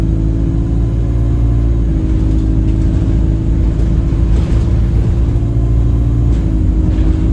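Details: Alexander Dennis Enviro 200 bus (E20D), under way and sluggish: starts as a whistle, then turns into a steady, horn-like drone over the engine, much louder near the front; gearbox suspected, unconfirmed.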